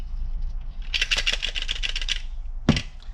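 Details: Porsche 996 fuel level sender, removed and shaken by hand: quick light clicky rattle in short bursts from a loose internal ball; normal, new sender behaves the same on vacuum test.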